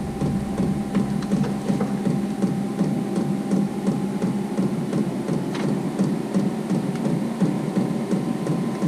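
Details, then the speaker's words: Vevor 5 kW 12 V diesel air heater, new and battery-powered, on level 1 of 10. Steady jet-like blower roar with soft rhythmic fuel-pump ticking. It is lit, smells of fuel, and blows hot air: normal running. "up sounds like a jet engine fixing take off oh yeah it's lit I can smell it feel the hot air coming out of that"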